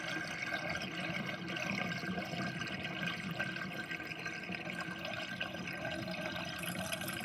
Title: Interesting kitchen sinkdrain with drainbasket and gurgling sound (2)